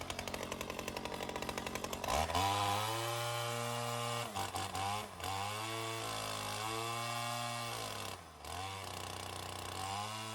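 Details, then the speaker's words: Ryobi CS 30 two-stroke trimmer after over-torqued gaskets were replaced, test run: steady high buzz with brief dips, fairly even; possibly a slight air leak, suspected from the flattening spacer, not confirmed. "might be a slight little air leak but I think that has to do with the flattening of that uh spacer"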